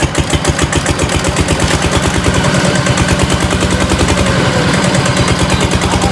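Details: GA70 engine on mount, ready for delivery, hand-started: steady, even exhaust pulses at a fast idle with no knocks, misses or leak sounds; smooth healthy running.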